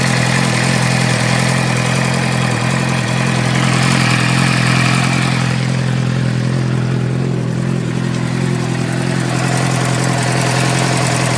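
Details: 2006 Suzuki GSX-R 600 inline-four idling and revving with a light, quick tick riding over the exhaust note; source of ticking unknown.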